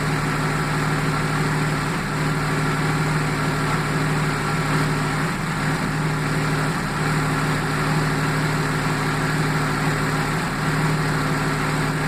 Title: Jaguar XJ6 AJ6 X300 -95 engine misfire